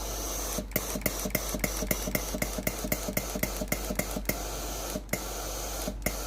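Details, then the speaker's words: Philips PSG7014 steam-generator iron with a no-steam complaint, during the diagnostic test before the pump is replaced: a steady rushing hiss with quick regular ticking, about three or four a second. Steam output is normal, so only the water pump is faulty. "ถ้าเกิดว่าระบบทุกอย่างสามารถใช้งานได้ตามปกตินะครับไอน้ำออกปกติก็แสดงว่ามีปั๊มน้ำเสีย1ตัวเท่านั้นนะครับ"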